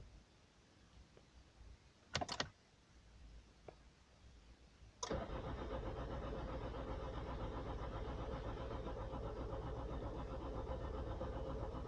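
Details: 2006 Toyota Corolla Verso D4D 180 hp diesel, no-start as winter comes, starts with a second battery, about 15 seconds cranking after new battery and fuel filter: couple of clicks, then slow laboured cranking that never catches; failing starter motor.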